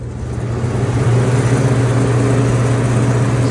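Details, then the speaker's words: Walk-in cooler evaporator, far-left fan turned back on: loud low droning hum with a coarse, uneven rattle, which gets loud as the motor heats up; failing evaporator fan motor, to be replaced. "So, we're going to replace this fan. This one makes a loud rattling noise when the motor begins to heat up."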